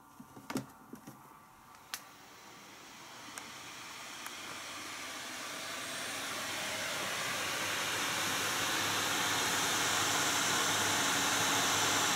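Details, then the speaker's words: NVIDIA GTX 980 reference graphics card in a Dell XPS 8700, fan manually set to 100%, meter inside the case reading about 72 dB: clicks, then a steady airy rush building to an even whoosh, normal full-speed fan. "So it's about 72 decibels, but again, how many decibels is it up here at the desk? Pretty huge difference."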